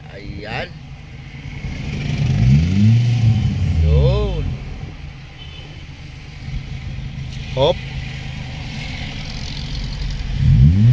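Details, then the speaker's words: 2017 Honda City 1.5 revving with air conditioning on after replacing the AC compressor, which caused a loud drone with AC on; revs rise and fall smoothly with no droning hum, same sound AC on or off, normal. "ah walang ingay pag naka-off on ulit natin aon parehas na sila ng tunog mga sir Yan po ang normal na tunog nung ano ah City natin"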